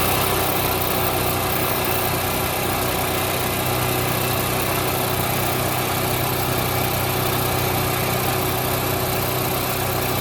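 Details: Onan 4000 KY generator after new spark plug, oil, fuel filter and fuel pump, a cleaned carburetor, choke coil adjustment and an altitude screw turned until surging stopped: a steady, even drone with no hunting or surging; normal running.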